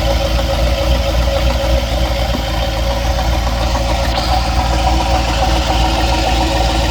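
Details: Engine at idle with a dull, fairly regular knock about three or four per second over the low rumble; source undetermined; engine knocking at idle.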